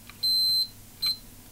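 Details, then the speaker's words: Arcade game PCB checked with a continuity meter from chip pin 7 to EPROM pin 3: one long beep, then a short one, then silence as contact comes and goes. Open circuit from a broken, rusty, corroded track, to be repaired. "you see I have no connection if I come far enough back eventually I will have a connection"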